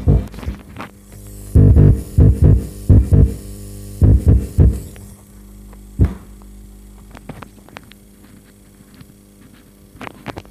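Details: Lawega active speaker, one channel dead and crackly, after repair: touching the input cable gives short bursts of deep even hum matching the good side. Channel now passes signal normally; normal input hum.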